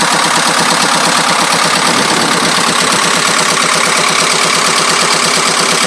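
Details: 2.25 diesel idling: sharp metallic rattle repeating about three times a second over the diesel clatter; source not yet traced.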